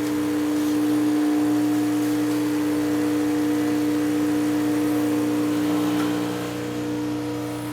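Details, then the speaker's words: Vibiemme Electronic Super HX heat-exchanger espresso machine, semi-automatic shot: a steady, constant-pitch pump drone under load as pressure rises to about ten and the shot runs slow past seven seconds. The grind is too fine and needs coarsening. "now the pump pressure is going up to about ten and it's taking more than seven seconds so now I need to come back a little bit on the grind"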